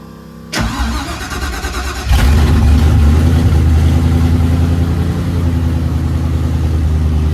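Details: 1974 Mercury Comet (Ford Maverick) with Procharged 5.0L Coyote, return-style fuel system: about 1.5 seconds of cranking, then catches hard into a strong, steady V8 idle; clean start.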